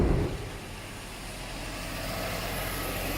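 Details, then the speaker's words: 2006 Subaru B9 Tribeca Limited with dual exhaust: steady, even, smooth idle with quiet exhaust and no ticking or tapping; engine sounds healthy. "smooth no ticking just wow I love it the exhaust is quiet and it's a dual exhaust"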